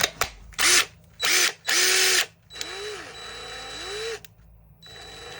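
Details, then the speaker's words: Worn, old DeWalt DCF885 impact driver after reassembly and brushing out: short bursts of high-pitched motor whir rising and settling smoothly, no roughness or stutter at low speed; sounds better than before, runs clean. "but it definitely sounds better though at low speeds"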